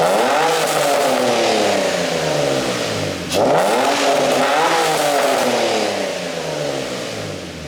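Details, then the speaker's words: Nissan G35 drift car, first start after installing a low-mileage replacement engine, Godspeed exhaust, revved at the rear: two crisp rev sweeps dropping back cleanly, smooth rasp, no misses or knocks; no leaks; normal revving. "Well, if I had to give you a comparison in sound, okay, so on the Fast and Furious Tokyo Drift, everybody's seen that. The Black 350, it sounds a lot like that at high RPMs."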